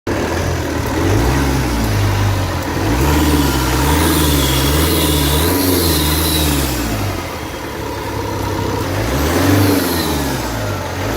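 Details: Opel 1.9 CDTI diesel revved up and down repeatedly, with a faint hissing whistle that rises with the revs; the engine is losing air through the intake, an intake air leak.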